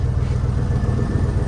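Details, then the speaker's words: Newly bought 4x4 truck needing a new oil pump: deep, even rumble at idle with steady beats, no knocks or misses; normal idle. "that sounds pretty nice pretty neat"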